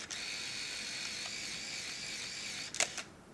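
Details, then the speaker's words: Nikon F301 35mm SLR after the last frame: steady high-pitched motor whir for nearly three seconds, then a couple of sharp clicks as it stops, film fully rewound into the canister; normal automatic film rewind. "What that did is, again, it's rewinding. Shot 1 was its last one, so it kept rewinding it until all the film is securely in the canister."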